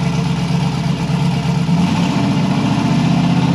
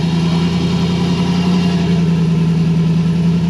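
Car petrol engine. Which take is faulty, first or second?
first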